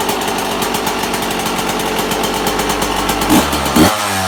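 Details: 1998 Yamaha YZ125 two-stroke, cold start in freezing weather on choke: hard rattling diesel-like clatter about two beats a second, then blipped; owner suspects a bad main bearing, unconfirmed.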